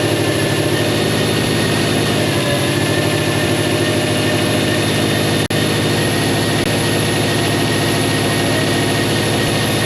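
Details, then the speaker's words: Subaru Legacy GT at first start after engine install, idling loudly with a constant airy hiss over the engine: a massive intake vacuum leak from a manifold gasket accidentally pinched on install; the power steering pump also whines slightly. "You can probably hear the massive vacuum leak coming from the intake. I pinched the manifold gasket by accident when I put it in, but that's not causing any issue right now."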